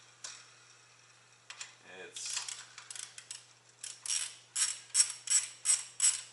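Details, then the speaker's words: Worn idler pulley bearing, spun by hand off a shop truck's engine during reinstallation, gives dry, gritty ratcheting bursts. It would make noise with the truck running and is to be swapped for the one from the blown engine. "that's gonna make a hauling noise when the truck is running"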